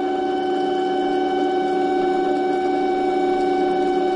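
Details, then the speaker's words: Small starter/generator bench-run off a 12 V lithium battery by touching the negative lead to the post. It gives a smooth, even hum at one steady pitch, spinning counterclockwise and not very fast, as expected at 12 V; spinning freely and healthy. "it's counterclockwise rotation counterclockwise rotation it's not real fast shouldn't be any faster than that with like a 12 volt set up on it"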